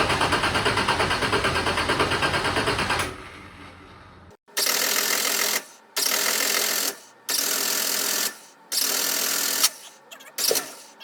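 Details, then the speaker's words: Turbo Nissan Z31 with 240SX subframe swap and new exhaust, tune unfinished, not run in a while, started via jumped key switch: repeated second-long cranking bursts without catching; extended cranking, hard start. "So, we should be able to start up. It does take a little bit just because the tune's not there all the way, but we'll get it started."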